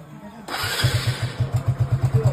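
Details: Hero Glamour motorcycle single-cylinder engine starting after a gear-shift fix with the 12 mm bolt tightened and oil refilled; a starter whirr, then it catches into an even thump, starting and idling healthily.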